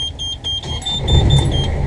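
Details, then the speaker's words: First start by the owners of a newly installed engine in a Morgan 41 Out Island sailboat, with a brand-new marine dash panel: alarm beeps, the engine catches within a second and settles to an even low rumble; quieter than the old engine, a clean healthy start. "oh my guy sounds kind of funy though it sounds good so far that's noisy well we may have to put some soundproofing in after all"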